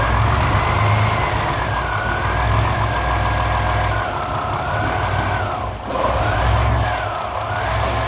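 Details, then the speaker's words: 1995 Chevy Astro 4.3L distributor engine, no-start case with a new fuel pump; after the computer circuit was restored it starts and settles into a steady, smooth idle on its own with no stumbles or knocks. "starts that is idling on its own"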